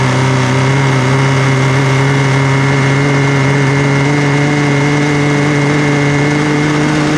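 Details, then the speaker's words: Cheap used Yamaha WaveRunner two-stroke on new mixed gas, after the fuel valve was switched from off to on: steady, buzzy running at constant pitch with no misses or surging; engine runs normally. "n you know what she runs all right"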